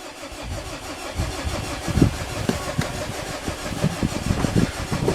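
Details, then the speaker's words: Mazda diesel after an air-con compressor swap and belt refit, on about the fifth start attempt with the glow plugs cycled: steady cranking with uneven compression pulses and a few firing puffs. It briefly nearly catches but never runs. "n it's not having it is it oh hang on nearly she fo about it give her another goat she went for a second there"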